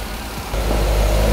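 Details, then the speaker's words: Salvage wrecked 2011 Corvette Grand Sport C6 (LS3 V8), started with a jump box after earlier starter clicking: it catches and settles into a smooth, even, low idle with no misses, knocks or ticks, running healthy. "it's just perfect it's idling it's idling we don't have any leaking fluids"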